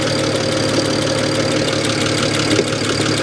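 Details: Idle heard under the hood of a salvage-auction car that looks thrown together; alternator charging. Steady idle with a loose, uneven rattle, roughly two light taps a second, over the engine note; cause unclear.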